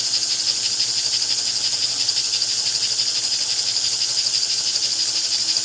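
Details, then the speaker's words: 1949 American Flyer #322 Hudson steam locomotive motor after fixing a magnetic problem: steady high whir with an even fine buzz, no wobble or knocking, RPM improved over before and armature no longer bouncing; normal running. "Now, I don't know if you can tell, but that is an improvement RPM-wise over what we had before."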